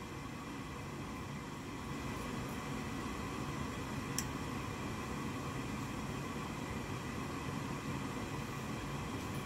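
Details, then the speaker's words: Goodman gas furnace after replacing the vent air pressure switch (part B13701-42), which had caused three-flash pressure fault codes with inducer running but no ignition; after reset, steady inducer whoosh, faint igniter click, flame lights: normal startup. "I see the igniter I see the flame it's fun to light got a good glow there yes yes all right the furnace all right success"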